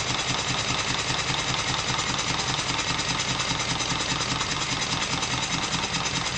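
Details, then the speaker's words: Stuart triple-expansion model steam engine running on live steam with cylinders still warm from the last run: steady light clicking of two to three per second over an even hiss. The clicks come from the vacuum and water pumps; running is normal. "The strange clicking noises that you can hear are from the vacuum pump and the water pump."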